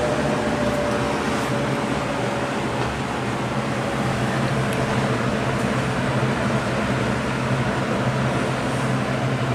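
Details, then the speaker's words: Vintage Lasko box fan, model 4713, on low speed; steady airflow rush with an even, pronounced motor hum, louder than a Sears version, no wobble or rattle, running normally. "and low don't know how well you can hear that motor hum but it is quite pronounced on the span even more so than the Sears version of this that I have"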